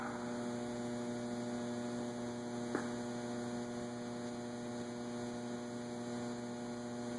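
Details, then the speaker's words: Robbins & Myers antique five-blade ceiling fan on a remote receiver, set to forward on low: constant electrical hum with one click and no rising blade whir; the motor stalls on low, thought to be because the low-speed capacitor value is too small. "Yeah, it's not going to start on low. Needs more oomph."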